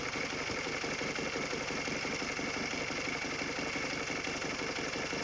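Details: Honda K20A Type 4 engine at idle: steady idle with a light, regular ticking knock about three per second over the engine note; knock present, cause unclear.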